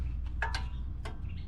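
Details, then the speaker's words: 2006 Subaru STI front brake, wheel off: faint irregular light clicks over low rumble; noise when braking and over bumps; axle, ball joint, bushings, knuckle checked fine, owner fairly sure it's the caliper. "this subtle clicking dude i don't even know if these calipers make that noise oh they do but that seems brutal"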